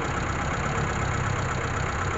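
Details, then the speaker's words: Mitsubishi Colt T120SS that burns 5 L of fuel per 3 km, is hard to start and runs rough: uneven, lumpy idle with a missing beat. Cylinder 4 has no compression, suspected from a broken piston ring or a leaking valve; engine teardown is recommended. "jadi e kesimpulannya silinder nomor 4 ini tidak ada eh kompresi jadi ada dua kemungkinan ada dua kemungkinan penyebab e kompresi di silinder nomor 4 ini hilang yang pertama patah ring Piston"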